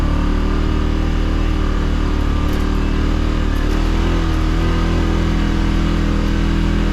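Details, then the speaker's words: 2016 Polaris Ranger 570 on test drive, rear diff locked, accelerating off-road: steady low engine drone, even under acceleration, no knocks or misses over tyre and terrain noise; healthy running. "this thing has some good get up and go for being a little 570."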